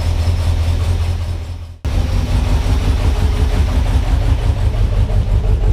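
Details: 1978 Ford F-150 with 460 V8 at idle: heavy, lumpy idle with uneven chuff dropping out every few beats; misfire from a worn-flat camshaft lobe.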